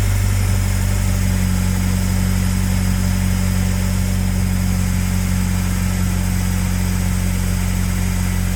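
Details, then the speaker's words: Car after swapping in a used water pump from the old engine to fix a coolant leak, timing belt covers left off: smooth steady idle hum, even pulse, no ticking, knocking or misses; no leak, timing good. "All right, so as you see everything is put back together. The car is started. No leakage. Like it was before, not leaking. Timing is good. Everything sounds great."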